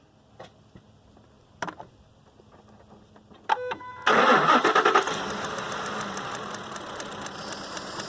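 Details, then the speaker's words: 2005 Ford Expedition 5.4L (engine from a 2008), misfire diagnosis: cranks and catches, then uneven, lumpy, stumbling idle; coils on cylinders 7 and 8 not firing. "como pueden ver ahí va a haber lumbre acuerdos en que la bobina al 7 y el 8 no estaba disparando"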